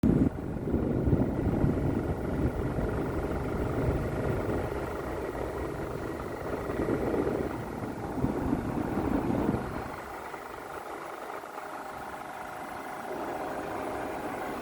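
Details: EcoFlow Wave 3 portable air conditioner, new: rough, uneven rattle mixed into the steady fan rush, suspected loose fan; not confirmed.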